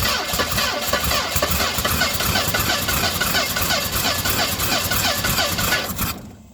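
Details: 1970 Mustang Mach 1, timing suspected off a tooth, little fuel added after running dry: steady cranking near three per second with a few stronger puffs as it almost catches, then stops; no start.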